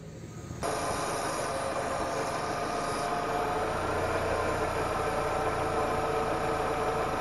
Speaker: Auch dieses Ventil saugt Luft in den Ansaugkrümmer; daher lässt sich auch hier allein am Geräusch erkennen, dass es nicht funktioniert.